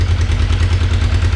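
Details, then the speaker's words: Kawasaki 454 LTD (EN450) twin after rebuild, cold engine with choke working: deep lumpy thrum with slightly uneven firing pulses at idle; runs rough cold, must reach operating temperature before revving high. "doesn't like the cold very much though you gotta wait until the engines at operating temperature really to rev it high"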